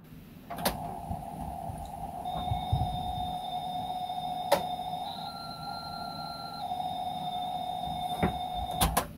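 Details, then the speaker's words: Amstrad CPC464 tape deck playing loading tone, belts already replaced and mechanism lubricated: faint pitch wobble; owner suspects worn idler tyre or main drive clutch pulley, unconfirmed. "you can hear it going wobbling on the sound so like I said I believe there is the idler pulley"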